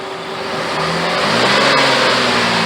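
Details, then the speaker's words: 2008 Jeep Grand Cherokee Laredo 4x4 3.7 V6, after replacing tensioner, idler pulley and serpentine belt: engine revs smoothly and settles, no squeal, chirp or rattle; much quieter than before, accessory drive healthy. "oh she's definitely quieter boys listen to that listen to that engine purr"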